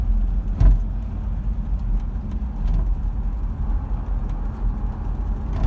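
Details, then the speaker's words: Toyota Prado (Land Cruiser 150) driven on fairly smooth roads, inner trim off; low road rumble with sharp hollow bangs as the loose-seeming rear barn door wobbles and slaps over bumps, fixed by cleaning. "they can build roads properly when they want to but these are pretty smooth roads and this door's banging around i'd hate to hear it on a corrugated road"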